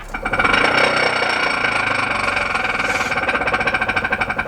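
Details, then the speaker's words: Damaged Tesla in drive; rapid, regular clicking over a hissy background with no engine note; axle suspected, tie rod also suspected. "what that's what i was looking at earlier yeah so that is the axle i think that sounds like somebody's playing roulette out here"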